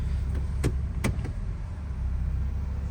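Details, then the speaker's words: 2004 Honda CR-V after replacing worn engine and transmission mounts with broken bushings: low steady rumble through the gear change with only light clicks; no more jerking or clunking. "a lot better problem solved now no more jerking no more clunking pretty good yep no more clunking noise"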